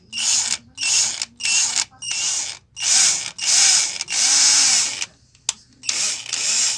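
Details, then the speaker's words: Hummer PLI12 cordless drill/screwdriver that keeps engaging and disengaging and won't run in reverse; in short trigger bursts its high motor whine sounds rough and gritty with a wavering low tone, an abnormal running noise before opening it up. "Agora, ó, tá vendo? Ela tá fazendo um barulho estranho."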